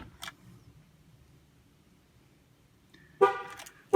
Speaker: once you're done with the left rear it should blow the horn twice first let's go ahead and turn the vehicle on all the way to the on position once the vehicle is all the way on go ahead and press the emergency brake and then hold the lock and unlock button until you hear the horn chirp twice